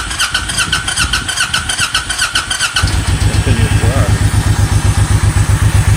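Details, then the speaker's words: Honda VTX 1800N keeps running after switch-off, dieseling-like, starter spinning with engine because starter solenoid stuck engaged; even low beat about four per second; tapping solenoid stops it; fixed with generic lawn-tractor solenoid. "Continues to run. It's the solenoid. You vote the solenoid a couple of times and it turns off."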